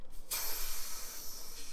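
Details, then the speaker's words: Ford Fiesta RS with new big turbo, final boost leak check after injectors refitted: pulling the vacuum hose gives a strong rush of hissing air, showing the intake holds plenty of boost pressure with zero vacuum leaks. "you can hear there's loads of boots pressure in there zero vacuum leaks now spot-on"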